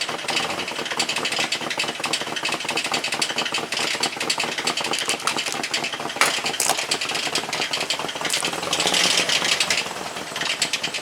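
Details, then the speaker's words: Jeep TJ, engine due for rebuild, started after refueling as it had run out of gas; rough idle with fast, uneven knocking and rattling, sounding badly worn, cause unclear. "So if that's what your Jeep sounds like, that ain't good. It's not, that's bad."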